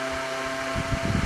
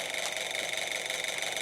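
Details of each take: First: Old Kwik Kool oscillating fan from a yard sale, running the day after rewiring the cord; steady hum with a few fixed tones and faint low rumbling flutter, blowing strongly and evenly, just a little noisy; normal running. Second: Old Kwik Kool oscillating fan bought at a yard sale, oiled with 30-weight non-detergent oil. Constant loud whirring hiss with steady buzzing tones and no rhythm change; the motor runs but is unusually noisy.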